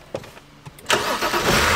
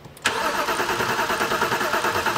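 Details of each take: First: 2007 BMW 328i, N52 engine, after fixing a crank-no-start caused by a misaligned module connector with a bent pin, fuel pressure present on key cycle: a few light clicks, then clean start within a second into a steady even idle. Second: 2007 BMW 328i with crank, no start after nine modules replaced; spark confirmed with alternative fuel: starter churns the engine with an even cranking rhythm but never catches; fuel pressure gauge shows no fuel pressure.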